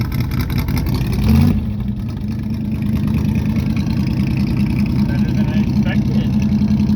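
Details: 1971 Chevy Cheyenne C10 pickup, carbureted V8, cold start at about 27 degrees with choke and gas pumped; irregular cranking chugs, then it catches and holds a low, slightly uneven idle: a hard cold start.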